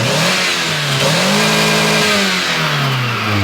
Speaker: We are at a little over 25 PSI, and we're not hearing any abnormal engine noises at this point, and it sounds good revved up.